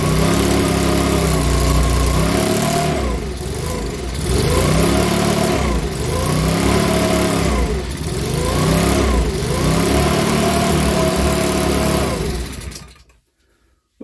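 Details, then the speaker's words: Makita BHX2500 four-stroke leaf blower after valve clearance check and NGK plug check: revs rise and fall in slow waves about every two seconds, never steady, then cut out; surging rough running, owner reckons it needs a new carburettor. "folks so that's running now so we're it's running but here i reckon it's gonna need a new car on that"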